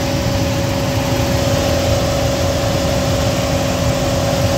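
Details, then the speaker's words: Furnace blower motor in a triplex AC system, noise began after a power outage; squirrel cage clear: steady high-pitched hum over constant low motor rumble; failing blower motor whine, motor to be replaced. "it's just that whenever that thing runs it just makes that high pitch sound and everything's okay"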